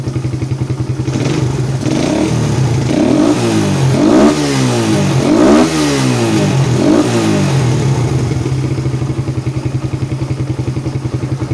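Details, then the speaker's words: Suzuki Satria FU 150 after valve clearance adjustment for unstable idle and lack of power: quick revs climb and drop cleanly, then settle to a steady even idle. Acceleration and starting now good. "The acceleration is quite good. The initial start is also good"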